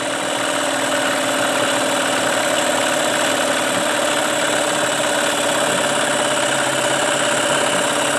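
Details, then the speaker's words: Tracker by Mercury Marine 9.9 HP outboard, unused for a year, just started and still on choke with idle adjustment on fast: steady, buzzy drone at a low even speed, slowly picking up; slight smoke. "I still have this idle adjustment on fast although it doesn't sound like you're throwing very fast it is it absolutely is seems like it's picking up a little speed"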